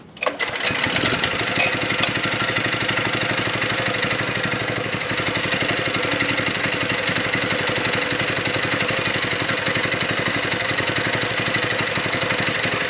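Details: DIY trike powered by a scrap power-washer single-cylinder engine, now with a 6.5 HP torque converter instead of the centrifugal clutch: small single buzz settles into a steady, even run, no stumbling or surging.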